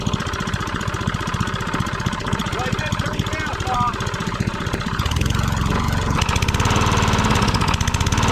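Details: Tecumseh mower engine, reassembled with a known bad, too-loose connecting rod and a bad crank, idling: steady rapid knocking about four per second over the idle; loose connecting rod knock.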